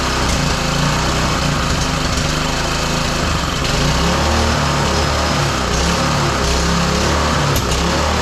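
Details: Roadside-salvaged small single-cylinder lawn mower engine for the Tommy Gun mini bike, on a newly fitted carburetor, started after choke on then off; it buzzes steadily at a fast, even speed with no stalls.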